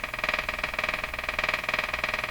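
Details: Circa-1935 Emerson 34C tombstone tube radio on first power-up: fast, regular buzzing tick about ten pulses a second drowning out the broadcast; electrical interference of unknown origin.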